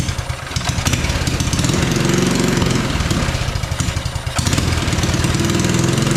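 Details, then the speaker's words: Mini bike single: revs surge and sag, running only on sprayed brake cleaner, not on its own fuel; spark confirmed; fuel or carburetor tuning issue suspected. "so it does not want to run on the fuel that is in it clearly it's only running when I give it some brake cleaner here so I'm not sure what the issue could be here"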